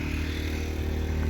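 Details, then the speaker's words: New Predator 2000 inverter generator powering camper lights at a rest area: a steady low drone at constant pitch with a slight clatter, no surging or hunting; normal running under load, quieter than the semi trucks. "a little generator you can't see it plugged into the camper real quiet it's actually quieter than the semi trucks"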